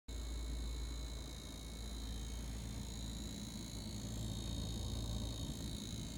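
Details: LG refrigerator: steady low buzz with a rough, rattly vibrating edge at an even level throughout; cause of the buzzing vibration unknown.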